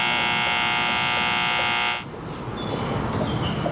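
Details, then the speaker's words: HVAC outdoor unit under warranty, cutting off on low pressure, ants inside: loud harsh electrical buzz for two seconds then clean cut-off as the pitted, burnt contactor pulls in; contactor replaced, new one much quieter. "So this unit's under warranty, and it looks pretty pitted in there. It's kind of hard to see on camera, but I'm going to go ahead and just change this contactor out."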